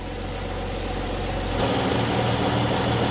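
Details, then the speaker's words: 2014 Chrysler 300 3.6 with check-engine light for the oil pressure sensor, after repair: steady, even idle hum with a slight lift, no knocks. Live data shows 55 PSI oil pressure, light off, no codes. Normal idle. "there we go oil pressure switch oil pressure sensor our pressure is 55 PSI it looks good guys we got pressure"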